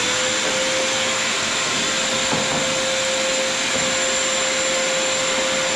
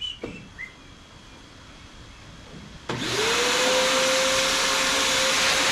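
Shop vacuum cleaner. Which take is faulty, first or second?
second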